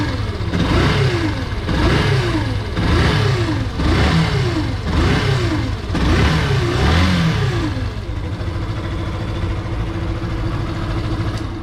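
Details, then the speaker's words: Yamaha FZ (FZ16/2.0/3.0 type) engine blipped about once a second, heavy rough noise loudest at the stator side cover, often mistaken for crank bearings, piston or timing chain; diagnosed as stator noise from inside the stator. "este ruido yo ya lo tengo diagnosticado es lo que viene siendo un sonido del estator proviene de aquí adentro del estator"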